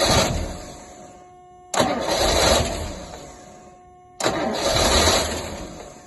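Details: Rolls-Royce Silver Shadow after fuel pump rebuild, new points and new spark plugs, on a freezing day: three cranking bursts of a couple of seconds each, starter churning steadily but the engine never fires; owner suspects carburetor, unconfirmed.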